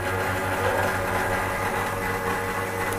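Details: Espresso machine pump labouring while drawing water, before the intake was switched to the water tank. It makes a steady, rough buzzing hum with a slight uneven pulse, and the pump quietened afterward. Cause suspected, not confirmed.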